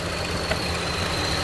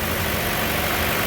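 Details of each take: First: 2015 Chevy Cruze with check engine light, idling: uneven hunting idle with faint hiss, engine visibly shaking; fuel trims 34 long-term, 14 short-term; misfire from vacuum leak, PCV valve on valve cover sucking unmetered air, running lean. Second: 2015 Chevy Cruze after valve cover/PCV replacement with new GM part, freshly started and still warming: smooth even idle, no whistle, squeak or hiss; normal idle.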